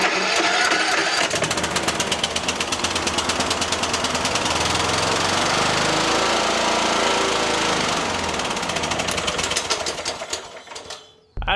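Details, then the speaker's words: Troy-Bilt XP Horse lawn tractor after engine swap, weak battery on jumper pack: rapid choppy firing for about ten seconds then sputters and dies; fuel starvation suspected; engine stalls after starting. "Not quite sure why it's firing up and then stopping. I am pretty sure it's fuel"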